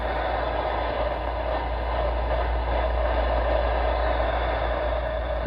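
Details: ICOM IC-7100 HF transceiver (issue also affects IC-7300), tuned around 11.8 MHz checking harmonics: steady buzzing hiss with faint whine, worse with volume up; interference from internal PWM audio power amplifier, fixed by swapping to a linear amp.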